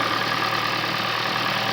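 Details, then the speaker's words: Toyota Prius at normal idle after a recent oil change (oil clean, not milky), heater on extending the warm-up cycle, no overheating or coolant use: quiet, even idle hum with a faint steady high whine, no knocks or misses; sounds healthy. "sounds healthy idles nicely by the heat on so it's gonna run the engine longer during the sport of up cycle"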